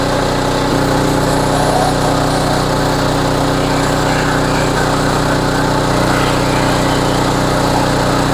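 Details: Homelite HGCA3000 3500 W generator after new carburetor and head gasket, warm, full load about 3,400 W from heater and hair dryer; loud, steady drone at constant speed with no surging or misses; normal running under full load.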